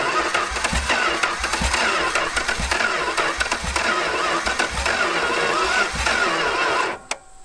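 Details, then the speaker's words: 1970 Satellite engine at first start in 35 years, on carb cleaner: starter cranking with ragged, uneven catches and coughs that never settle into idle, then quits; fuel-starved sputter, needing choke and more fuel. "oh it sounds like an engine now at least oh dude dude here it goes yeah it's gonna do oh luke luke i know all right get get something to choke it with a little yeah just more fuel okay"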